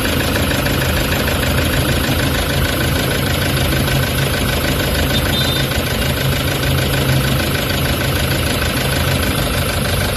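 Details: Toyota Hiace common-rail diesel with EGR malfunction codes P0400/P0406, check engine light and low power: uneven, lumpy shaking idle under a steady rumble, the rough vibrating idle before repair.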